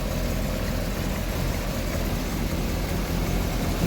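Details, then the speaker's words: Triumph TR7 just after fitting an inline fuel filter: steady low, even idle with no misses, knocks or surges; engine running smoothly, fuel flowing through the filter. "TR7 now has a fuel filter, and it even sounds like it's running."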